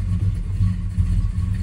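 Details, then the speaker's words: 1967 Dodge Charger 383 big block V8, base ignition timing around 24 degrees: deep, even burble that holds steady with no stumble or popping; running much better and responding to tuning. "yes this is so much better than it was oh things are going so much better now the engine actually responds to normal tuning changes"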